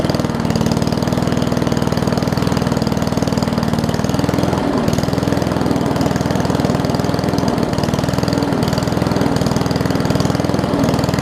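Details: Old Murray push mower with a Briggs Classic single-cylinder, fuel tank swapped from another mower. It thumps steadily at a low, slightly uneven idle and can't hold proper speed; the throttle looks to be missing its governor spring.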